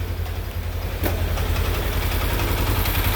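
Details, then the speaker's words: 2016 Polaris Ranger 900XP first start after engine rebuild: catches after a second, smooth even idle, no misses, knocks, rattles or smoke as before; normal idle, a separate noise traced to the primary, not the engine. "motors running not smoking like before oh yeah we running like a brain"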